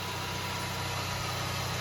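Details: 2014 Toyota Camry after water pump replacement, left running 10–15 minutes to check for coolant leaks: a quiet, steady idle with an even low pulse; normal idle.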